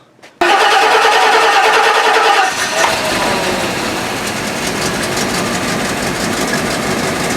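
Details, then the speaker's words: 1984 Rolls-Royce Corniche after head gasket replacement, injectors cleaned with spray and compressed air: starter whir, engine fires and runs uneven and lumpy, then smooths to a steady idle; rough running at startup, owner suspects one or two injectors still clogged. "see it starts off right but then it starts to balance out and what that tells me is that the fuel injector are still clogged but once it balances out you know it's running pretty smooth and it's idling pretty smooth"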